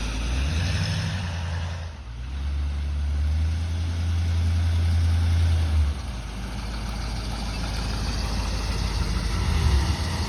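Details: 1963 Ford Thunderbird 390 V8 driving after exhaust replacement (left manifold donut, perforated tailpipes, blown mufflers): deep, even, quiet rumble with no puffing or ticking; exhaust leaks gone, normal exhaust note.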